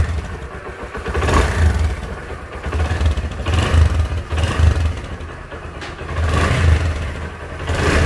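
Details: Hero motorcycle whose engine failed at 15,000 km and would not start, after engine repair: clean idle broken by four or five crisp rev blips that rise and fall smoothly, running evenly; normal idle and revving.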